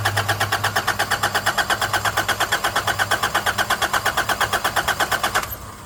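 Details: Nissan Navara D40 diesel after a fuel filter change: steady cranking at about three compressions a second for five seconds that never catches; air left in the fuel lines because the system was not primed enough.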